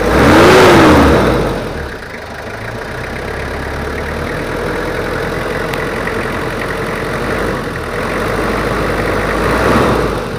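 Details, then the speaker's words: Toyota Kijang 2L diesel after an engine overhaul for low compression and abnormal noise: smooth, steady idle with a soft even clatter after a brief rev. Normal idle. "suaranya udah normal menurut saya udah siap tancap"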